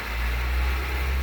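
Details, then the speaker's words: 1998 Nissan Maxima, manual, sat a long while with a dead battery, jump-started with a portable booster: heavy, loud rumble and roar right after starting that quiets down within seconds. "whoa noisy isn't it"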